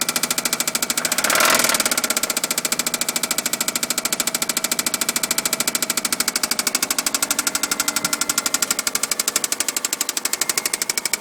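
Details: Subaru engine run out of oil multiple times, idling: fast, steady metallic knocking from the bottom end, rod knock with bearing noise; owner thought it was a belt noise.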